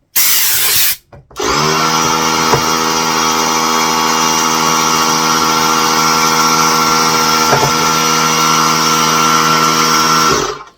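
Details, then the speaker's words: New small Harbor Freight air compressor: the motor kicks on when the tank gets low and pulls up to a steady, even high hum, refilling to pressure. Normal cycling. "as you can hear it is doing exactly what it's supposed to do when the air tank gets low it turns back on gets it back up to to uh to pressure"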